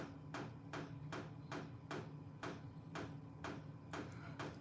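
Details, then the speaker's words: Diesel parking heater (all-in-one portable type, exhaust piped outside): sharp, even ticks about twice a second over a low steady hum, the fuel pump thumping as it doses diesel; normal operation. "that thumping noise is the fuel pump okay"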